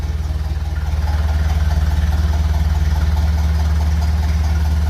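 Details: 1956 Lucas D3A4 distributor fitted, brief run with no coolant and radiator off: steady, even low idle with a regular beat of about four per second and nothing out of place; running cleanly.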